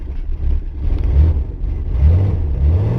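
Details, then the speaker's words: 1985 Chevy S-10 just started with 50 A charger help after weak battery, choke closed: deep even rumble with a couple gentle revs, no knocks or misses; runs good. "Ah, it runs good."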